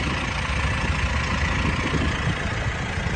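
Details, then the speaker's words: 2018 Mitsubishi Pajero Sport 2.4GT diesel, about 160,000 on the odometer: even, steady diesel clatter at idle with a smooth low rumble, very little shaking, no misses or surging, normal healthy idle. "อันนี้ผมสตาร์ทเครื่องไว้นะฮะจะสังเกตว่าเครื่องไม่ค่อยสั่นนะครับจะค่อนข้างนิ่งมาก"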